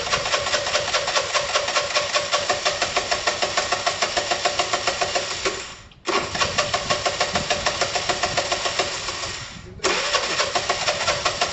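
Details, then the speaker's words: Dumped Piaggio Typhoon 125 scooter, first start attempt after only a spark plug change, took 20 minutes to start, oil found very low: cranks and fires in ragged bursts, cutting out twice; seems fuel-starved, cause unconfirmed. "it's practically practically starving come on [Music] marry tom help me took 20 minutes to start"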